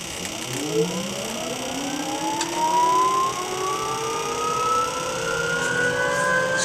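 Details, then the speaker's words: UH-1 Huey turbine start after rebuild, throttle set to start, clicking heard from the rear: thin whine climbs slowly and steadily over several seconds, turbine spooling up sluggishly, not seeming to want to go. "Yeah, I hear it. It's not seeming to want to go."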